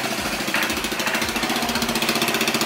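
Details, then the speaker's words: 1986 Honda Helix scooter, first start after reassembly: a thin, rapid popping exhaust beat that stumbles and surges; the engine is barely running and rough, with some smoke that does not smell bad. "run it she barely running shy I'm gonna let it run it she running a little bit rough there's some smoke but it doesn't smell like bad smoke"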